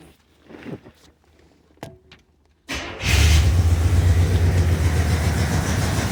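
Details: 1968 Cadillac DeVille convertible after a no-start fixed with a new negative battery terminal, wiring repairs and a new cap and rotor: catches after about three seconds and settles into a steady, even low rumble; carburetor may be running a little rich.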